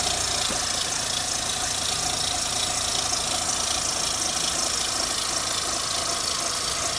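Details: 2004 Mitsubishi Lancer Ralliart, new belt tensioner, idler pulley, harmonic balancer, serpentine belt, coils, plugs, valve cover gasket: steady idle with light uneven ticking knock about three per second; engine knock at idle, cause unknown.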